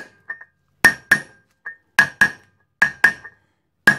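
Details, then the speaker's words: Trailer hub bearing replacement, seal driven in with a 46mm socket: paired hammer blows change from a dull thud to a clear high ringing note, meaning the seal is fully seated. "When you hear that high ringing noise, you know it's all the way in."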